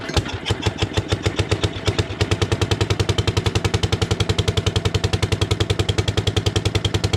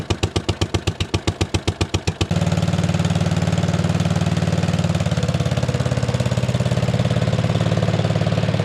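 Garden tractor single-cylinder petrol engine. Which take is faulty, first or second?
first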